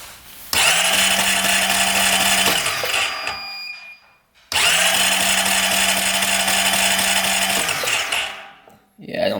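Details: 2008 Honda Rancher 420 ATV with no spark, cranked as fast as possible for a pickup-coil peak-voltage check that read 0.1: two roughly 2-second bursts of fast, even starter whirring, engine never fires; cranks but won't start. Pickup coil later judged fine; the new ignition coil is suspected.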